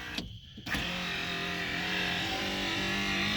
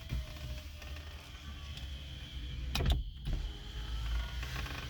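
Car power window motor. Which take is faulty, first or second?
first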